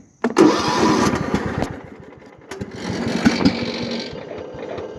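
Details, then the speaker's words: 1998 Craftsman DLT hydrostatic lawn tractor, 16.5hp Kohler Command, freshly tuned with rebuilt carburetor and new fuel pump: engine catches, sputters and sags on choke, then picks up once the choke is removed; it was already warm. "sorry i didn't need choke take it off choke there we go"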